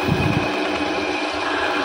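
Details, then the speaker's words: Car AC compressor spun on a bench drill after replacing the worn internal ball (gundu): steady, even, smooth whir; before the fix it knocked loudly while the AC still cooled. "Nah setelah diganti begini jadi halus nih."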